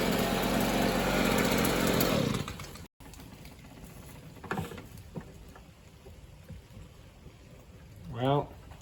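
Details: Free, previously non-running Stihl two-stroke leaf blower after reassembly with a crush washer: high buzzing that roars unevenly for a couple of seconds, then cuts out; still not running right.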